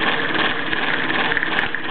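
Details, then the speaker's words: Rare Bowman E158 steam engine (c. 1927–35), heavily geared so it turns slowly: steady dry grinding rattle from the rotating gears, the sound this engine normally makes. Finding: normal gear noise. "you can hear that grinding saying that's the noise that the the Contour rotating gear shock hand to make"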